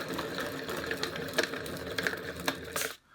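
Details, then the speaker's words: Kids' balance bike rear wheel hand-spun gives gritty, rattling whir with irregular clicks, rough compared with the front; dry, bad rear hub bearing. "sounds pretty rough compared to the front so let's get the wheel off and see what we can do i think the bearings are bad on us"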